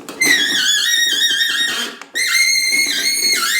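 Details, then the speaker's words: New Ariens Deluxe 24-inch electric-start snow blower during assembly: high wavering squeak in two bursts as the chute is turned; dry chute adjuster needs lubricating oil. "As you can hear, it does need some lubricant on it, so we're going to spray with some lubricating oil before we put it in the close it back up."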